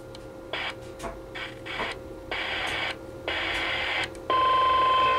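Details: CB radio on AM in central Iowa, channels 15 to 20: receiver hisses in rhythmic bursts a few times a second under a thin steady whistle; the interference moves between channels, started 20 minutes earlier, nothing in the house blamed, source unknown.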